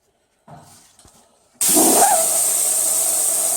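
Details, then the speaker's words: 1996 Toyota LandCruiser 80 series 4.5 petrol, A442F automatic transmission (intermittent 2nd-gear takeoff, no overdrive), bench air test of number 1 shift solenoid. Unpowered it hisses air straight through; normally open as it should be, switching on and off. "That one's normally open as well. I've got no power going through it. On, off, on, off."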